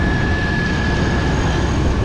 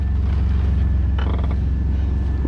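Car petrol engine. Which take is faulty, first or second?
first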